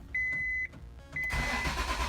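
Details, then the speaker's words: 1988 Acura Legend sitting 10 years, with a used replacement ECU just installed and a new fuel pump: two warning beeps, then about a second of slightly faster cranking that never catches; cranks but won't start. "oh nó dường như được cranking nhanh hơn một chút nhưng vẫn không có bắt đầu"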